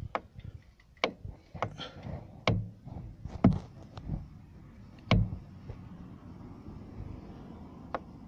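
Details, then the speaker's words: Renault Megane 2: at full left steering lock, irregular dull thuds and clunks about every second or two near the strut top mount bearing; suspected cause is loose plastic knocking, not a failed top mount. "при выворачивании колеса на лево полностью появляется стук в районе опорного подшипника в районе стойки амортизатора"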